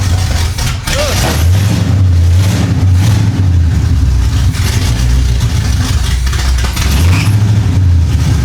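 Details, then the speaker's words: 1975 Chevy Monza 2+2 with 350 small-block V8 swap, sat about 20 years, after new distributor fitted: loud, lumpy idle on its own, rising and falling cleanly with throttle blips; normal idle and revving. "Brother! This thing is rowdy. I got all kinds of stuff in my eyes."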